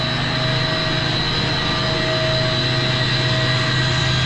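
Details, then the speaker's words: Large commercial centrifugal HVAC condenser water pump in auto after strainer cleaning maintenance, VFD about 37 Hz at 62.2%: steady even hum, no knocks, rattles or surging, no leaks; normal running. "It just did it itself. It ramped up and came back down. So, we're running the pump at 62.2%."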